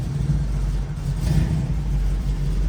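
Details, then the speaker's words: 1972 Chevrolet Nova, 383 stroker small-block V8, tuned 4bbl carb, dual exhaust, TH350 automatic, just started and still cold: deep steady rumble swelling gently on blips, even firing, no knocks or misses; healthy engine. "It's really healthy. It's still a little bit cold, so you gotta let it"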